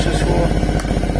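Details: Quadzilla Buzz 50 two-stroke quad, sat over 5 years, rewired with loom and switches from a donor quad, started cold. Fast, even buzz with no knocks or misses; the engine runs normally.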